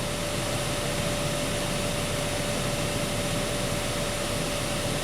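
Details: 2012 Honda Accord Special Edition after blower motor circuit repair, key on, full blast, meter holding steady around 15.5: strong, steady rush of air with constant motor hum, no wavering or grinding; blower working normally.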